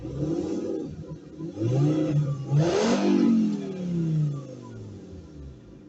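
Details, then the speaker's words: Fiat Stilo stock original exhaust with a large rear silencer, engine blipped twice: smooth, muffled rise and fall with no rattles or pops. Healthy factory exhaust; owner plans to swap the rear silencer for a tube. "Le bruit que tu as entendu, c'est le bruit d'origine. Je compte le changer. Je pense que je vais enlever le silencieux arrière qui est énorme."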